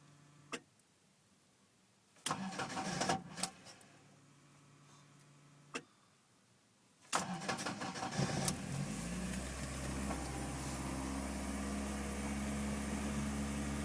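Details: Toyota AE86 with 20V Silvertop engine and Blacktop electronics, started after sitting overnight or off many hours: two long cranking bursts with short pauses before it catches and settles into steady idle. Hard cold start, extended cranking; typical case.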